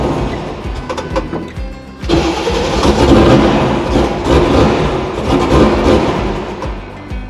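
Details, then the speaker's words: 6.2 LS V8 swapped into square-body crawler, first start on Holley Terminator X after wizard setup and idle reset: loud V8 catches then surges and sags, won't settle to idle. "some bad things happen though I mean we didn't get it to fully idle it's kind of having a couple of problems"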